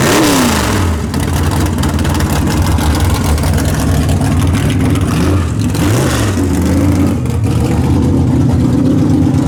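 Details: Big-block Chevy V8 in car "Bad Penny" after tunnel ram swap, track testing: deep rumble swings up and down cleanly with each throttle blip, no misses, pops or knocks; revving healthy.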